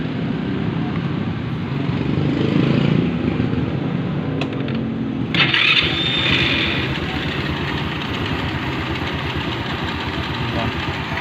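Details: Rusi Fashion 125 scooter after the loose CVT belt was replaced with a new tight one: starts and settles into an even idle with no rattle from the belt-drive side, unlike the noisy first start before.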